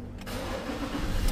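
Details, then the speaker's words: Mazda BT50 3.2 after fixing the faulty sensor that caused its no-start: brief crank catches on first try and settles into a steady, even diesel idle with no stumbling; starting normally after repair. "So start natin. One kick na mga katropa. Ayan oh, di ba? Sensor, ganun lang, napaka basic niya, no?"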